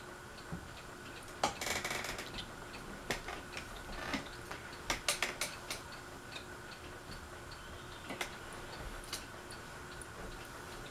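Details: Fasco Vanity Fair ceiling fan with a broken flywheel, on medium: faint, uneven light ticks and clicks as it turns. The housing is loose; the owner thinks someone tried to remove the flywheel.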